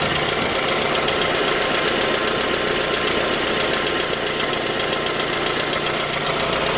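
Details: J20A engine (2010), cold idle: steady fast knock about two and a half per second over a loud clattery idle. Began at 10,000 km and worsened after oil changes. Found a scored crankshaft journal on cylinder 3, blamed on non-recommended oil; short block replaced.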